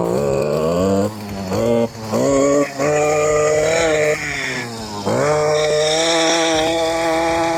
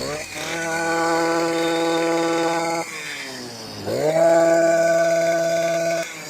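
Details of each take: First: STIHL KM 56 RC-TC Kombi two-stroke, previously a no-start, after a teardown and replacement of worn parts, with old fuel being drained and replaced: at full throttle the pitch climbs and sags unevenly, hunting as stale gas mixes with fresh gas through the carburettor. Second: STIHL KM 56 RC-TC Kombi two-stroke after full teardown, worn parts replaced and bad fuel cleaned out: high buzz holds steady, cuts out, then restarts straight away and settles to an even run; healthy.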